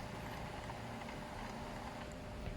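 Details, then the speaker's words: Epson L300 printer showing a red flashing paper-jam error at power-on: the feed roller whirrs steadily and never stops because the paper sensor is broken. "ฮะเนี่ยแต่มันไม่หยุดนะครับน้องพิมพิมไม่ขยับเห็นไหมครับผม"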